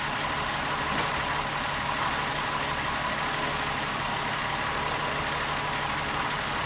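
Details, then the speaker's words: 2001 VW Jetta 12-valve VR6 on first start after replacing the intake manifold shifter rod, which caused clacking; not yet warmed up, idles evenly with a smooth low hum, no clacking or knocking. "actually feels like it's running smoothly sounds good wait for it to warm up before i give it some reds though"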